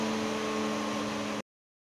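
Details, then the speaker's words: High-rpm 250mm fan installed as a camping trailer vent, running at top speed: a loud, even rush of air with a steady motor tone, no rattle or wobble, then it shuts off cleanly. Normal operation. "고속 회전도 정상적으로 동작합니다. 근데 이게 지금 최고속 회전이거든요. 소음도 좀 많이 나지만 그만큼 바람을 빨아들이는 양이 틀립니다."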